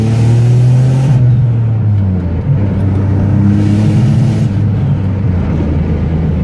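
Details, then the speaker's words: Turbo Nissan Maxima with AEM and MAP hooked up, hard pull: low engine drone climbing, then the note stalls and won't rise past mid revs. Power loss at high rpm in third gear, held second. "kind of kind of held second gear but as you might have heard in third gear it didn't like that very much"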